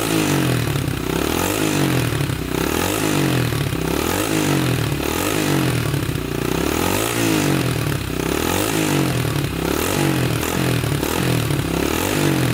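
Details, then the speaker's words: 1987 Honda 250X single finally running after new valves, new coil and about a thousand kicks, idle adjusted up: fast-idle thumping, revs rising and falling slightly, firing evenly with no knock; normal running. "oh we got her oh man sounds good oh that took forever to get running good almost gave up on her"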